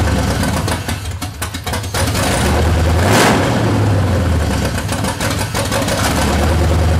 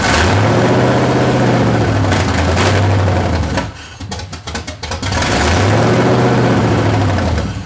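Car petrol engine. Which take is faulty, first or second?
first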